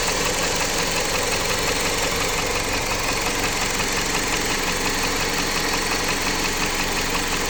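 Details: Jeep Patriot 2.4 engine at steady idle with a regular light knock, roughly two per second, over the engine note; owner asks what it could be, source still unknown.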